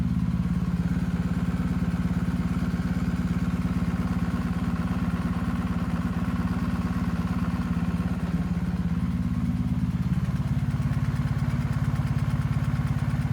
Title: BMW R1250GS, 7k miles left cylinder ticking noise